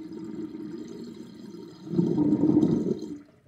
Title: Interesting sinkdrain with sinkplug 38.5 mm with chain and loud gurgling sound